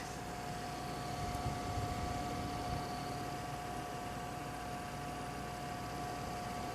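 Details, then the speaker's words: Gigabyte GTX 780 WindForce graphics card fans at 25% speed: very quiet, steady airy hum with faint constant whine, no ticking or rattle; normal fan noise at low speed. "starting with and start with the lowest speed which is believed 25% yes so this is twenty-five percent this is the list that could get this is what it sounds like"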